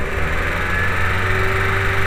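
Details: VW New Beetle 2.0L AEG after repair of a cylinder 4 misfire: steady low idle with even rhythm, no stumble or skip, faint mid-pitch hum; running better, still clearing fuel left in the cylinder.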